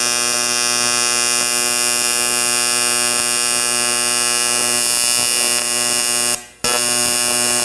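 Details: Arccaptain 200A AC/DC TIG welder, AC TIG on aluminum with blunted tungsten; steady even high-pitched buzz, one brief break near end when tungsten dipped; otherwise healthy arc.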